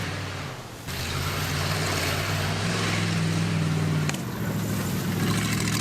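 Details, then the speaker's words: Homebuilt vintage junker rally car under load on its first rally run. A deep drone with an uneven, loping beat of about four pulses a second: running a little rough. Flooding suspected, unconfirmed; it ran better on the second run. "A little rough, a little rough. I think we might have to do multiple runs."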